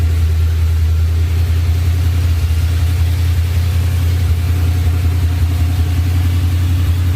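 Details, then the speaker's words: Ford SVT Lightning V8 with 3.4L Whipple, forged block, and new Trick Flow heads and bigger cam, just restarted after the rebuild. Deep, choppy idle with an uneven lope rising and falling, a rough idle attributed to the new heads and bigger cam. "truck sounds really really good it's going to have a little rough idle right now because we have new heads bigger cam"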